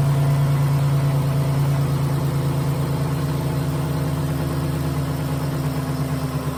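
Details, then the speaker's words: 2011 Dodge Nitro six after replacing worn rocker shaft that caused lifter noise and misfire: steady even low drone, no tapping or stumble; all cylinders firing, running well. "foreign [Music] foreign I'd say that's a success all the cylinders are there seems to be running pretty well"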